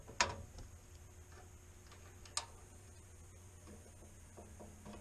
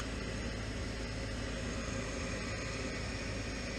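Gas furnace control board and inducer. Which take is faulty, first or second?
first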